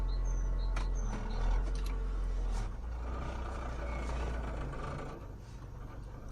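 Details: Mazda Premacy CP 1.8 automatic, brakes held: steady idle in neutral, low idle that dips and runs unevenly once shifted into drive; vacuum leak, solved by fixing a crack in the air intake.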